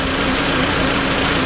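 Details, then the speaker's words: 2004 VW Beetle 1.8 turbo, engine cold at idle, carb cleaner sprayed on vacuum fittings: steady idle with airy hiss and faintly uneven note; vacuum leak at cracked brake booster line causing rough idle and hard brake pedal. "what we'll be doing is spraying it every vacuum connection every fitting every little piece that you got in there cheese everything we listen for the engine rpm to go up do them one at a time"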